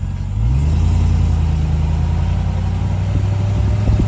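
A steady, low droning hum settles in under the engine note and holds at an even pitch throughout. The source is not yet pinned down.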